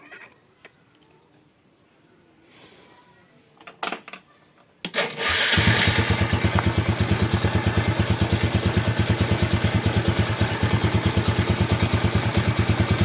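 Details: Yamaha Vega ZR/Jupiter single-cylinder motorcycle, final check after starter and charging-circuit checks, battery reading 12.5 V: a few quiet seconds, then it fires and settles into a steady, even putter at about three beats per second, healthy.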